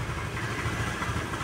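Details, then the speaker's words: Honda Vario 110 carbureted scooter at idle: uneven, limping beat stumbling and sagging as if about to stall, RPM rising and falling on its own; unstable hunting idle, carburetor suspected, not confirmed. "Ya, seperti pincang ya, Teman-teman. Coba perhatikan suaranya. Nah, itu hampir mati."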